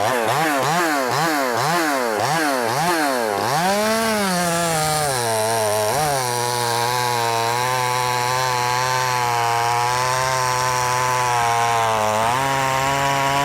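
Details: Brand-new, unbroken-in Wemars 6220 clone chainsaw, carb leaned slightly from very rich factory setting: quick rev snaps, then a steady high pitch dipping slightly under cutting load; loud, crisp, healthy running.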